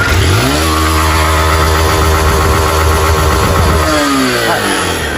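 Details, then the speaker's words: 160 cc single-cylinder motorcycle that had a piston clip left out, scoring the cylinder: hard revving with a heavy rattly clatter on the exhaust note rising with revs; piston slap from a scored, worn cylinder. "Bem, esse barulho todinho que vocês estão ouvindo aí, pessoal, é isso aí, ó. Original, não, original, >> ó. Cilindro riscado, gasto, fica uma batedeira impressionante, pessoal."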